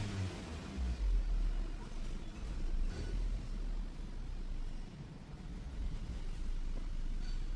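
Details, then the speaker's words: Maruti Suzuki Swift petrol with check-engine light on, stalling when lifting off accelerator and after speed breakers: engine note swells and sags unevenly, rpm drops and lags after pressing pedal; throttle body found very dirty, cleaned to fix. "आता आरपीएमही drop होते गाडीच आपण accelerator press केल्यानंतरही गाडी RPM late घेते बराच delay आहे"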